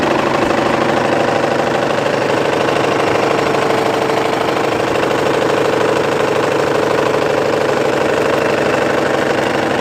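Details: Mitsubishi 4D56 diesel at idle, morning start: a hard, regular knock two or three times a second, apparently from around cylinder 4. It appeared overnight with no warning; the engine was fine when shut off.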